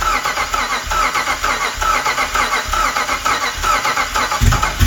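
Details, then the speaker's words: Cammed 5.7 Hemi Jeep Grand Cherokee cranking after cam install, timing fix and new tune: lumpy, uneven cranking, some cylinders spin fast as if no compression; suspected slung/unseated pushrods (timing was one tooth out) causing dead cylinders. "You can hear the difference. It goes the ones that are really fast sounds like there's no compression on tho"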